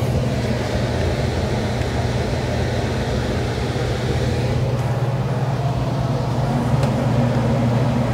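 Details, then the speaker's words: Lennox unit during maintenance, after capacitor check and tightening connections: steady, even low blower hum with no rattle; return that previously rattled is now quiet, apparently fixed. "when i came over here the first time the whole uh return was rattling i don't hear it anymore yeah i think that done it there"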